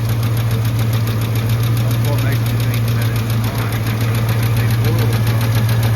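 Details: Truck idling after a struggling start on a cool 61°F morning, oil pressure good but drops once oil warms: light, fast tick at three to four per second over steady idle; unbalanced accessory pulley.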